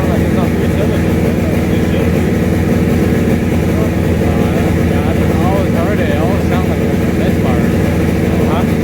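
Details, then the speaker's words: Acura Integra with built B18C turbo engine (Golden Eagle sleeves, 10:1 pistons, Scat rods), misfiring when taken for a tune: heavy, lumpy uneven rumble; misfire, owner later suspects two slightly bent valves. "man but uh we had it running went to go get it donald tune and it was misfiring he says the tuner says"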